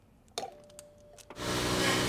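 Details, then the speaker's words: BMW E60 M5 S85 V10 just after a new power steering pump and fresh hydraulic fluid were fitted. A loud rushing whine with a steady buzz while bleeding, which quiets once the bubbles clear. Power steering pump aeration noise. "let's start it and see how difficult it will be to bleed the power steering system let's check the fluid level it is still okay ah it sounds awful stupid pump"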